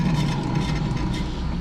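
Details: Jeep Patriot front-wheel-drive model, rear hub assembly: deep, continuous low rumble with a slight gritty edge, steady throughout. The rear hub bearing is worn out and is being replaced.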